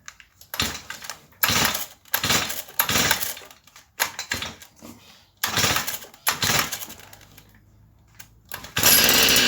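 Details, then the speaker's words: Stihl FS38 trimmer on tune-up, air filter washed in fuel and plug cleaned; short high-speed bursts sound blubbery and uneven, seems to run a bit rich on the high end, owner plans to tune leaner. "Ok guys, it seems if it run maybe a little bit rich on the high end."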